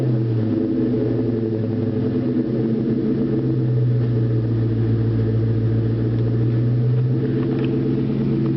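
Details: 2001 Ford Mustang GT V8 at startup: deep rumble holds steady through a light rev with a faint irregular knock underneath; suspected spun rod bearing, not confirmed.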